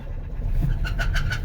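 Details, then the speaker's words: Chrysler 300 with a Chrysler/Dodge 2.7L engine, driven into the shop: sharp metallic knocks about six times a second over a low rumble, growing louder until the engine dies; serious internal engine knock. "It's knocking louder and louder and louder. I'm almost there. Y'all see that? Oh! Come on, baby. A little bit more. Oh, it's loud."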